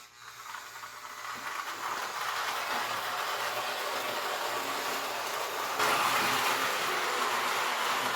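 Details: Lionel 2018 postwar locomotive with 243W tender on KW transformer, after shell removal, lubrication, cleaning, E-unit check and wiring work. Motor spins up to a steady whir with quick, regular rail clicks and a faint hiss; it runs even and healthy.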